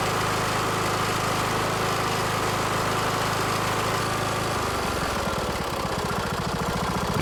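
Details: Kohler single-cylinder engine test run after new cork valve cover gasket (Kohler 20 041 13-S, RTV silicone, screws about 30 in-lb). Steady, even beat, then settles to a slower note. Healthy, no knocking.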